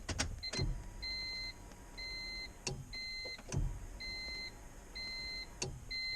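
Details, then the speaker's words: Turbo B20V-swapped Honda EK, engine off; electric fuel pump rewired with a 40 amp relay and heavy power wires from the battery; high steady whine cuts in and out, now much louder than before rewiring; normal fuel pump whine. "it's way louder now than it was before"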